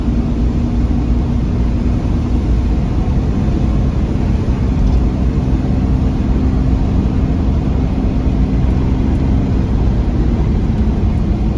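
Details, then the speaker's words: 1997 Camaro RS 3.8 V6, previously P0305 cylinder 5 misfire under load uphill below 2000 rpm, after the fix; cylinder 5 coil later found cracked: deep steady pull up the hill, no stumble or bucking. "no more misfire yeah buddy all right 0 to 60 up a hill here we go no more misfires"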